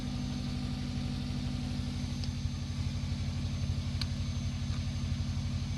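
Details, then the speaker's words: 1998 Subaru GF8 WRX, EJ205 engine, after new in-tank fuel pump (EFP-056, Denso 195130-1270): steady low idle, even firing pulse about four per second, no stumbles or ticks; really quiet pump, no leaks; normal idle. "see other pump sounds well I tell you what it sounds like a really quiet pump"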